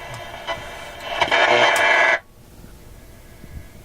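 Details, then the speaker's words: Westinghouse 1398 AM/SW/FM tube radio, AM broadcast band on preset buttons after FM tube replacement: station bursts in far too loud and harsh, then cuts out; suspected missing AVC action, new magic eye not reacting to signal. "I have the feeling there's no AVC action in this radio at all and uh the result of that is the ey wouldn't work if there's no AVC and we would have these very loud"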